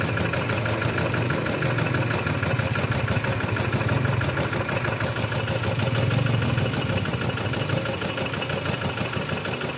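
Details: Kubota RD65DIS single-cylinder diesel after a service with the cylinder head refitted and timing set, running without exhaust and fitted with an RD85 pusher: even, steady, unbroken beat with no knocking or misses; combustion sounds right, and the exhaust is dry.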